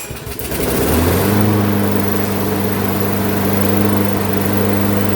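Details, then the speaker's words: Craftsman front-wheel-drive mower (previously fully disassembled by owner's son), good plug, sharp blade, metal chunk removed from blade-adapter pulley, oil not yet changed: a few rough catches, then a steady even drone with no surging; running steady. "Okay, that seems to have gotten it run steady now at least."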